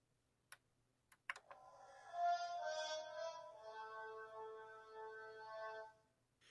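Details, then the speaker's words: Gears of War special edition Xbox One S, bought as broken from a pawn shop, powering on: soft clicks, then a layered musical chime swelling about four seconds, its normal custom boot sound, not a fault. "honestly I turned this on and thought that it was something wrong cuz it was making a weird noise but it sounds like it's got a custom boot"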